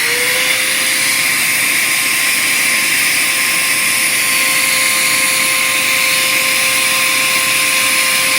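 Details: Bissell Powerforce Compact upright vacuum during restoration: high steady motor whine with no bog, motor spinning up too high because the airflow path is badly clogged.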